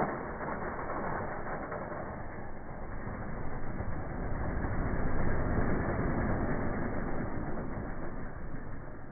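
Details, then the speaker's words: Engine installed with a deep, rapid throbbing shudder about four beats a second with low rumble; flywheel/flex plate vibration felt inside the car, rattling the dash; transmission was pulled out afterward. "So as you can see, the flywheel, the flex plate on this car was just, it was horrible. You could feel it inside the car. It was rattling the dash."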